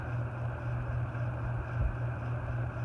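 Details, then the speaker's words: Antique General Electric ceiling fan at full power: steady low drone without knocking; resonance hum, owner thinks it is carried through the canopy and needs adjusting. "A little bit of resonant. Sounds like it's resonating through that canopy."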